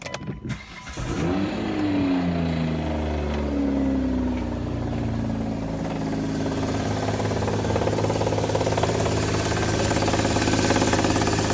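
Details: Hyundai bought with a knock, recorded at start before adding Lucas oil stabilizer and Liqui Molly ceramic additive: engine cranks, catches and settles into a steady idle knock about three per second, engine-deep sounding but actually a failing accessory pulley.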